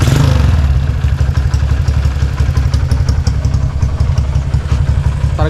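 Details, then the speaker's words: Motorcycle on stock head and camshaft after removing high-lift cam: light throttle blips rise and settle cleanly, smooth low thrum, no ticking or knocking; healthy. "ini karena ka standar jadi halus mesinnya kita gebiar dikit-dikit"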